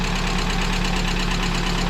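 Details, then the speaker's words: VAZ 2170 Lada Priora engine at steady idle, a hollow even knock on every firing; owner says it is not the lifters and plans to strip the engine and replace pistons; piston slap. "вот так говорят вот такой бряк стоит вот такой обряд вам кажется тут компенсаторы конденсаторы не верьте"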